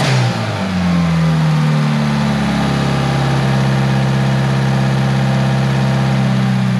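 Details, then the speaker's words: Tial BOV just installed on a car started cold that morning: loud, uneven engine note sagging then hanging flat, bogging at idle when given gas; owner thinks it feels like fuel cut, cause unconfirmed. "well she's still running really rough and she's like bogging down an idle whenever you give it gas"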